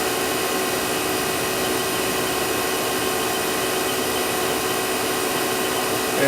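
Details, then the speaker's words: 1999 Daewoo DMV-500 vertical machining center spindle running at a steady step between 3000 and 8000 rpm: clean, steady whine with no grinding, rumble or surging; spindle sounds healthy. "as you can hear it sounds good no vibration whatsoever no rumbling or grumbling just as you'd expect"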